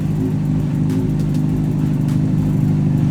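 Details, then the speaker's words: Wrecked 2006 Honda CBR600RR after rebuild, tip-over sensor bypassed, powered from a car battery, low on coolant so run only briefly: steady, busy engine note with no knock or miss; engine running normally. "we've got the bike running we don't have enough coolant in the bike so we shouldn't let it run for long"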